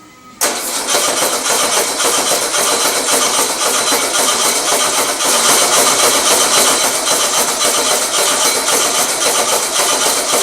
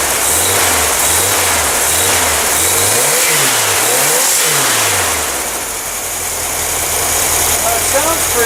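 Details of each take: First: Old engine with electric choke, after generator swap: starter churns evenly for ten seconds, never catches. Fuel petcock had been shut instead of opened, float bowl empty; cranks but won't start, no fuel. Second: Old engine after a generator swap, sat two years, petcocks now opened, choke held closed: catches, revs up and down through a few blips with slight stutter, then settles to a steady idle; normal running, possibly a viable engine.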